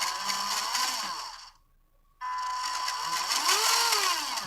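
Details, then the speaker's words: WPL C24 RC truck after more than a month of use: the motor whine cuts out, then jumps straight to full speed, especially in reverse; the receiver is over-sensitive, and a potentiometer fitted in the motor line burned out. "Langsung menghentak, apalagi mundurnya tuh. Jadi harus dikit receivernya tuh terlalu kenceng, jadi ininya tuh belum pol, ininya udah ngebut duluan begitu."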